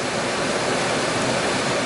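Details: Old Chrysler van HVAC blower, original motor refitted with new OEM Mopar resistor module, drawing about 20 amps on full and 5 on lowest. Even steady rush of air, no squeal, ticking or rubbing; final fix, blower running cleanly.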